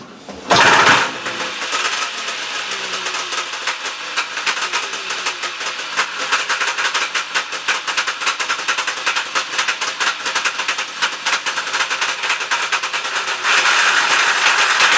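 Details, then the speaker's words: Mercury Trail-Twister with Kohler K440-2AS engine after new stator, flywheel and CD ignition box install, earlier running rich and smoking from tipping: catches and settles into crisp steady high buzz, no misfire; runs much better, not smoking. "now that I took it her a spin around the yard you can hear that runs much better and it's not smoking"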